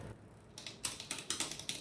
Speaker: the sixth Cog that we just set but it doesn't you just hear chain rub which means we need to increase the cable tension by turning the barrel counterclockwise